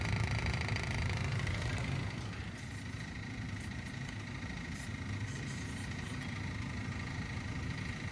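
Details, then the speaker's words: 4-zone natural gas boiler with zone valves, repaired after a no-heat call: circulator pump runs with a coarse, rumbling hum, loudest for the first two seconds then settling lower but still rough; noisy circulator. "circulator sounds like garbage but we are very hot and we are open"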